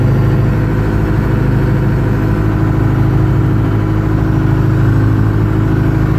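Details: 1980 Michigan Clark 55B loader, Detroit Diesel, freshly rewired and started from the cab switch after a leaking injector was fixed; deep, steady idle with an even beat and no knocks or stumbles, runs fine, though the alternator isn't charging.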